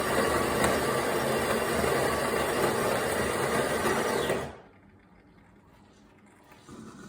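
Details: DeLonghi ECAM 23.266.B coffee machine while drawing milk or flushing the milk tank: loud rattling buzz with fast regular pulsing for about four seconds, then quiet; abnormal noise, cause unclear.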